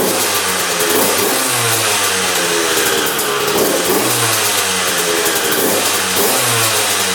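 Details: 2001 Honda CR125 two-stroke dirt bike after fix-up (seller said new crank, piston, seals), started on choke: crackling idle rising into sharp clean throttle blips every couple of seconds, no misfire; normal running.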